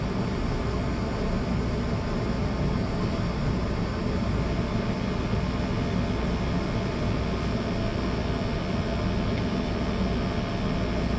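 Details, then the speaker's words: Oil burner after cleaning and new 1.0 GPH 80° nozzle (was 1.25), Testo 310 probe in flue: 80% efficiency, about 2% better, zero CO, positive draft; steady low roar, no pulsing. Normal burner operation. "Zero CO, burning super clean. Yeah, that's a good number."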